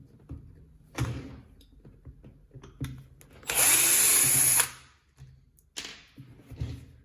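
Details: Catpower 6120 jet stone (bench grinder) spinning up in short bursts, with a dry rattle over the whine. The motor bearing is worn.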